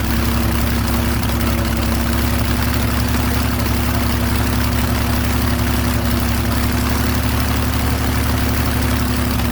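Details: Airboat engine with a constant fast drone around 1200 rpm, never settling to the 450–800 rpm expected idle.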